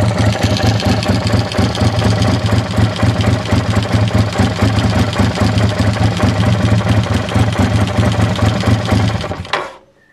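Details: TRX850 at idle: steady idle with a rough, uneven mechanical clatter riding on the low engine beat, then shutdown; abnormal engine noise, cause unclear.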